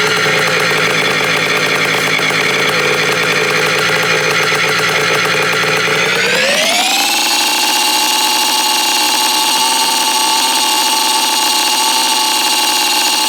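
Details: 1987 Kawasaki KDX80 two-stroke dirt bike after mechanical restoration, exhaust baffle removed, starting for a test ride: a buzzy, high note climbs sharply near six seconds, then holds steady at high revs, pulling cleanly. Normal running.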